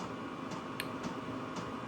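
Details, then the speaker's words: Chinese 12 V diesel heater for vans and motorhomes, used as a workshop heater and just topped up with diesel after the pump ran fast when low: soft, gentle fuel pump ticks about twice a second over fan rush; normal running. "Don't know if you can hear the pump just clicking over gently."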